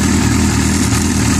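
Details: Yamaha R6 idling: fast light metallic chatter of cam chain; spring-loaded screw-type automatic cam chain tensioner fails to keep chain tight, chain quiets when tensioner screwed out manually; tensioner faulty.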